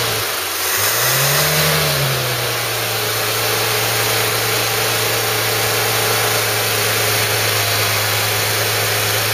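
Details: Ford Cortina Mk3 with newly rebuilt 2.0 Pinto engine, after slightly rotating the distributor to improve the sound: quick rev blip, then steady even idle with no stumble or ticking; normal idle.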